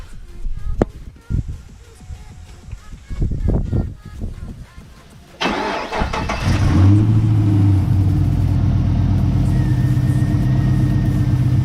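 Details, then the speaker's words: Pontiac G8 GT V8 start-up after DIY oil change with Mobil 1: crank, catch and settling idle with light even ticking over exhaust rumble; owner says it's headers and valve train noise, nothing abnormal. "Any noise that y'all heard from the engine bay is most likely the headers and valve train noise. I don't hear nothing abnormal that I never heard before."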